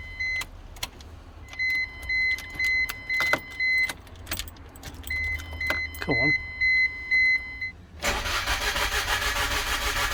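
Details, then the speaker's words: Car after new head gasket fitted, radiator not yet installed, cold day, battery possibly low: dash chimes, then starter spins engine steadily for a couple of seconds but never catches; cranks, no start, owner suspects something left unplugged. "well there's clearly something somewhere that I've neglected to plug back in but I don't know what it is"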